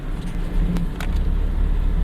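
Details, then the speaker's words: 2001 Ford Mustang 3.8 in fourth gear at 1200 rpm and full throttle, with new EGR valve, wires and plugs but the old coil pack and fine at idle: a heavy, uneven, lumpy rumble with shaking, a bad misfire under load. "Fourth gear, 1200 RPM, full throttle, shaking, misfiring real bad."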